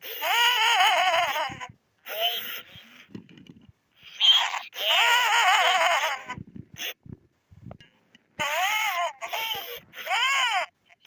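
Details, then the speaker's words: 1998/1999 Furby with burnt-out speaker: chirpy voice comes through harsh, crackly and distorted with pitch dropping and rising; worsening and heading toward a mute Furby unless the speaker is replaced. "You can still somewhat hear what the Furby is trying to say, but you can really hear the crackling. So she'll eventually turn into a mute Furby if I don't replace the speaker."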